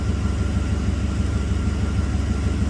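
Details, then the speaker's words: 1990 Camaro 5.0 Tuned Port Injection V8, 29,000 km, after work on a random misfire and power loss under load; timing 15 degrees, codes cleared: deep, even rumble, smooth idle with no misfire. "system varies the spark timing to stabilize the idle car seems to be running nice and smooth now i'm going to take it for a road test but i'm 99 sure this is going to be fine"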